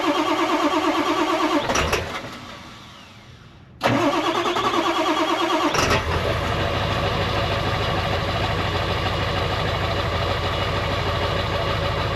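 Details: Ford F350 7.3 Powerstroke diesel, sat about a year, cold start around 35–40°F with no block heater after glow plugs cycled: cranks, catches, dips once, refires, settles to steady even clatter; some smoke, owner suspects turbo; normal cold idle.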